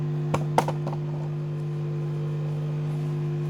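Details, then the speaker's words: Amplifier with two transformers, one per mono channel, before the fix: steady low hum with a few clicks at the start; both channels hum because the transformers are out of phase. "Hai apa kabar dengung juga ya keduanya berdengung karena apa cb-nya jadi satu yang fasenya ini solusinya adalah kitab"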